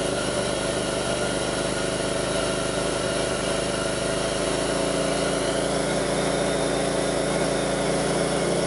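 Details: 2002 Pontiac Grand Prix 3800 with rough idle and bogging, no check-engine light, alternator overheating and a faint intermittent thump pulling the idle down: lumpy, uneven idle beat with faint irregular thumps. Rough idle, cause not confirmed.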